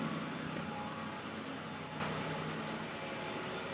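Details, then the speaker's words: 2014 Infiniti QX60 at idle with a new battery: a faint, steady high-pitched whine over the low engine-bay hum, reportedly the known CVT transmission fault; not confirmed. "You can hear that high-pitched whine. Apparently that's the CVT transmission. Monster issue in this car."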